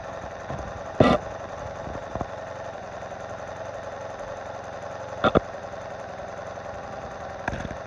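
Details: 1986 Honda Magna 700 motorcycle idling after a valve adjustment: fine quick ticking over an even idle, heard best close to the engine, with a few handling knocks; source of the tick unknown.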